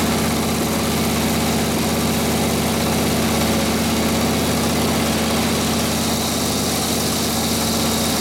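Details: 1936 Harley RL-frame bobber with later 1940s WL 45ci flathead V-twin, 1939-40 3-speed, after rebuild and points timing: loud steady loping idle about two beats a second while warming up, no knocks, clean muffler note that spits flame when revved; normal idle.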